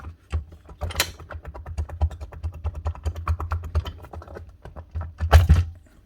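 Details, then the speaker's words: DeWalt 54V/60V cordless saw motor removed and spun by hand: a rough, gritty rattle with uneven clicks from the top armature bearing, which collapsed internally and is suspected to have already ruined the motor. "And see it. This is the bad bearing. Top one on the armature."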